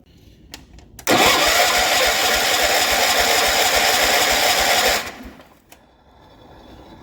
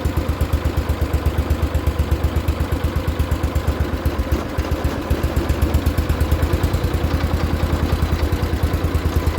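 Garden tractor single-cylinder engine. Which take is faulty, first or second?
first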